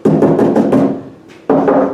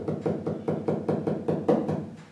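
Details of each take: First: Land Rover roof and body panels while sound deadening pads are being fitted: each knock on bare sheet metal rings out hollow and booming, lingering briefly, like driving inside a big drum. Body panel drumming without deadening. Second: Land Rover roof panel tapped after fitting sound deadening mats: even taps about four a second give short dull thuds dying quickly; previously about 60 dB, now much quieter, panel well damped.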